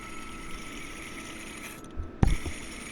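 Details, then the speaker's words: Mercedes Sprinter van, engine off, belt tensioner pulley spun by hand: faint gritty whir then knocks; the bearing should be smooth, worst pulley, makes the running noise at lower speeds. "You hear that bearing sound? It's supposed to be smooth."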